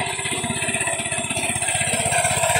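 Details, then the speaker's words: Fujijapan FJ601S 7HP tiller (2020 model) at a customer's, now running light and stable: quick even firing pulses about sixteen a second, steady beat, no misses or knocks; normal running. "Bây giờ nói em nói anh đi nó nhẹ nhàng rồi đấy thế này thì nói chung là sẽ ổn định bền vững"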